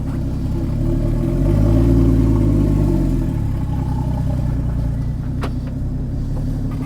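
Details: Porsche Cayman 981 GT4 rebuilt after a motorway crash to the nearside rear, first start with its new exhaust fitted, with a strong race-fuel smell noted: a deep, smooth note rising and falling cleanly with throttle, no misses or rattles; healthy.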